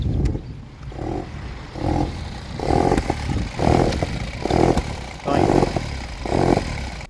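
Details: Volkswagen at idle with check engine light: lumpy uneven idle surging and dropping about once a second; misfire caused by vacuum leak.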